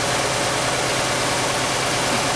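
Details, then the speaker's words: 1999 Honda Accord 2.3L at idle, unknown-history auction car with a bad misfire: steady idle with slight unevenness; plug-wire RPM-drop test shows number 2 cylinder not contributing; later traced to a fuel problem rather than compression. "So now if you think about that, pretty easy test to identify what cylinder is misfiring."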